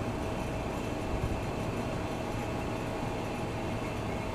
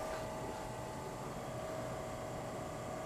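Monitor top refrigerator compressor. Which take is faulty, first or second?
first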